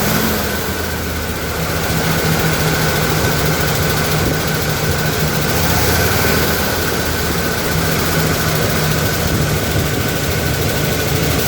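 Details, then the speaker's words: 1977 Ford F-250 4WD V8, revived after sitting 15+ years, running on a little gas: rough idle with light, quick top-end ticking over the rumble, a tick not a knock; owner plans pulling valve covers to find it. Cause unconfirmed. "well she's definitely ticking but she runs it sounds like a tick and not a knock so might be able to just pull in valve covers and see which one is giving us an issue"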